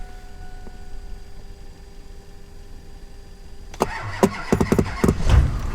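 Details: Diesel truck started in snowy weather after a head gasket job, with batteries reportedly dead: near silence, a short crank with heavy thumps, then it catches and settles into a rumbling idle. A normal cold start.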